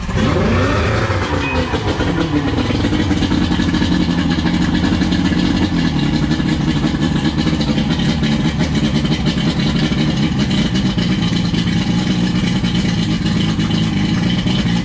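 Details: 1999 Johnson 115 two-stroke outboard on a 1999 Wellcraft 190CCF, cold start after sitting, choked on the first crank at about 40% throttle: a brief sputter as it catches, then a steady, strong buzz at even revs; running properly.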